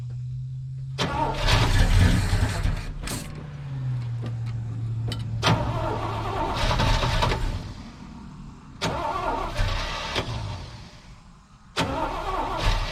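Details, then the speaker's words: 1970 Chevy K10 with a 396 big block from a 1971 Chevelle, first start after sitting; long cranking with brief catches that die; tank cleaned but bad gas still in the line and the float bowl still filling. "i cleaned that fuel tank out but i know there's still some bad gas in the line so and we're trying to get the float bowl filled and everything else too"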